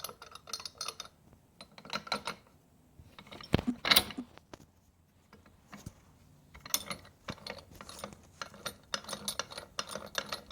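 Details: Rebuilt Triumph Spitfire manual transmission turned by hand, no engine running: bursts of bright metallic clatter and ratcheting; synchro rings seem very loose.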